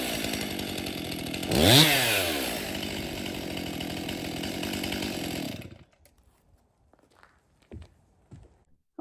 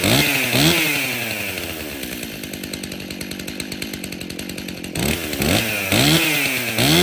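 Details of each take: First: Stihl MS261 50cc M-Tronic chainsaw after full service, new fuel solenoid, air filter, fuel filter, spark plug, bar and chain: blips cleanly to a high even scream and settles smoothly, then shuts off; starts, runs and oils well. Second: Stihl MS261 50cc M-Tronic chainsaw before service, on fresh fuel: revs up sharply in short bursts, then settles into a rough, uneven lope about two beats a second; runs lean at high speed.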